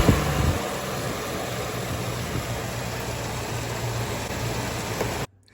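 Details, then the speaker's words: 1964 Dodge Dart GT 273 V8 after installing a new mechanical fuel pump, fuel now in the filter: steady, even low idle rumble with no stumbles, ticks or knocks; runs well. "Hey, there's fuel in the filter now. Man, that sounds good."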